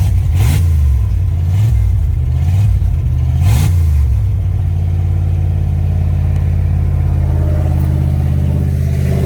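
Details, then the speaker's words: Fox-body Mustang V8, first start in 18 years after a harness swap: deep, very loud rumble with early blips, then a steady fast idle. The loudness comes from an exhaust leak at an open, unwelded wastegate port. "wow that sounds pretty amazing if you ask me uh i'm loving it the reason it's so loud is skate down there right now"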